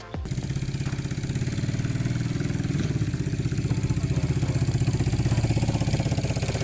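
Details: Yamaha XS650-based twin scrambler with a home-welded custom 2-into-1 exhaust, new port gaskets and wrapped head pipes: starts and settles into an even, steady beat of about four pulses a second with no leak ticking; normal running.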